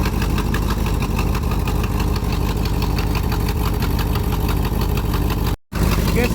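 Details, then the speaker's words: 1972 Ford F250 truck with a carburetor, just started: engine idles lumpy and uneven with stumbling beats; poor running, with a clogged carburetor suspected after sitting in a garage. "guess the carburetor's clogged up, you know, or, you know, waking up, I don't know."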